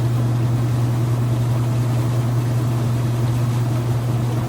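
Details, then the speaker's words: Kenmore washer after draining the rinse water, switched to spin and getting up to speed, speed climbing as water is extracted; steady low hum and even whoosh, no knocking or scraping. Normal spin cycle. "It's drained all the water out, switched over to spin, and it's getting up to speed. The more it spins the water out, the faster this thing's speed will climb up."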